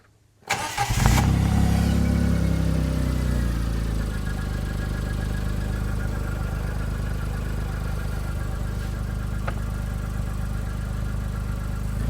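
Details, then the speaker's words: John Deere Gator started right after a throttle arm replacement and throttle cable refit; it catches immediately, revs cleanly under throttle and settles into a steady, even idle. Normal start and throttle response, worked first try. "All right, let's go ahead and fire it up and work the throttle a little bit and make sure everything's working right."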